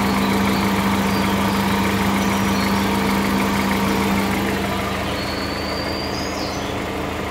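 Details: Strange noise from the lower part of the engine on a 2013 VW Voyage EA111 at steady idle: a faint regular tapping, about three to four per second, under the engine note; cause unknown.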